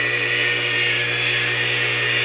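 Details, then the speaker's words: Old air compressor being reconditioned, temporarily wired for test: settles into a loud, steady hum with even high hiss, no knocks or labouring, governor audible working; running normally. "nice things to work you can hear the governor working too"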